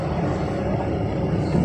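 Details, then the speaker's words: Honda Brio over paving blocks after replacing the worn steering rack: only steady low tyre rumble, no knocks or thuds from the front end; suspension clunk gone. "ठीक है तो अब यह धक्कों की आवाज की तरह महसूस नहीं करता है और उम्मीद है कि इस कार के लिए यह रोजमर्रा के उपयोग के लिए चलेगा"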